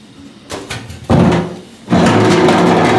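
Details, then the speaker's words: Replacement stock EFI fuel tank needed for a Fox Body Mustang turbo build, old tank shaken by hand: heavy hollow clunks and rattles in bursts with each shake; internal baffle broke loose in the tank. "I know it's hard for you guys to see down in there, but the baffle has actually broke loose in the tank, man."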